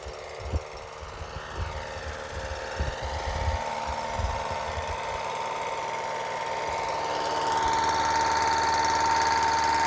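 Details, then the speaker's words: Reassembled single-cylinder HR 194 machine engine, test run after rebuild: crisp, regular thumping about four beats a second settling into a smooth run, no vibration, good noise; idle decent but perhaps slightly low. "il y a pas de pas de vibration il y a pas de vibration le bruit il est imp PEC"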